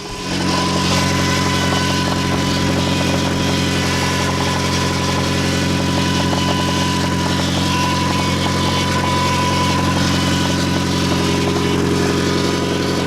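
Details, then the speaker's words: Nissan 240SX SR20DET cold, just started and warming at idle: light quick knock about three times a second under steady power-steering whine; cause unknown. "here's the sound you can even hear it just an idle right now alright so don't mind the whining I know that's the power-steering but listen for the little knocking that you can hear"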